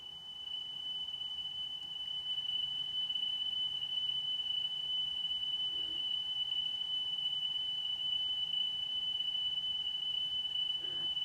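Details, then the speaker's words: Sony La Scala TC-S1 cassette deck playing a 3 kHz test tone: a steady high whistle with a faint pitch waver, suggesting wow and flutter. It may be the cassette tape itself; not confirmed. "i think it's still got wow and flutter but it could be it could be that actual cassette tape"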